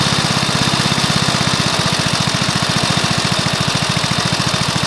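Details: Briggs & Stratton mower engine (believed early 1984), first start after rebuild with new piston, rings and valves for oil consumption (loose rings, worn valves); steady evenly spaced firing pulses throughout, no misses, knocks or rattles; normal running.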